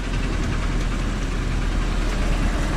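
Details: Volvo "Miss Huff", running after a jump start: a loose, sloppy knock under a rough idle against a heavy low rumble. Engine knock, cause unconfirmed.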